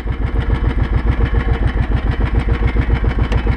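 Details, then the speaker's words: 2005 Kawasaki Brute Force 650 ATV after KEBC engine-brake clutch fork removal: steady single-cylinder thump at idle, even and smooth; KEBC actuator audibly rolling normally but no longer moving anything. "yeah you can you can hear the actuator like it normally sounds right now it's just rolling"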